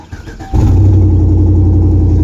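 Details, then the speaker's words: 2013 Chevrolet Tahoe PPV federal pursuit V8 just started: loud, deep, throbbing rumble heavier than a sealed exhaust, a sign of an exhaust leak; not at one manifold checked by hand, location still being found. "how it's rumbling so goddamn loud? That's a surefire sign of an exhaust leak."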